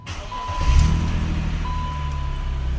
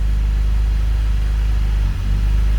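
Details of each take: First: BMW E39 528i M52TU/M54, first start just after replacing dual VANOS seals and anti-rattle kit: engine catches and holds a steady idle without dropping, faint chime in background; sounds healthy. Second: BMW E39 528i (M52TU/M54) before VANOS seal replacement: low, lumpy, erratic idle that wavers and sags briefly near the end, from worn dual VANOS seals, which also cause bog-down pulling away in first gear.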